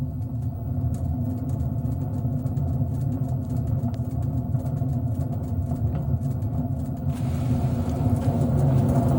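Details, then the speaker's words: LG direct-drive washing machine, drum spinning at 400 rpm: low, steady rumbling drone with a faint rustle that grows louder at higher drum speed; worn drum bearing. "когда вас будет изношен подшипник то при вращении барабана будет вот такой вот звук"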